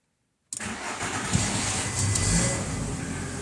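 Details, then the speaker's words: 1995 VW T4 with ACU engine that stumbles and stalls once warm, restarted with a 40 °C coolant-sensor value simulated: cranks, catches after a pause, then an uneven struggling idle; once it has choked it is hard to restart warm, cause not yet found. "wenn der sich eben mal verschluckt hat also immer da diese Temperatur bekommen hat dann kriegt man den noch nicht so ohne weiteres wieder an"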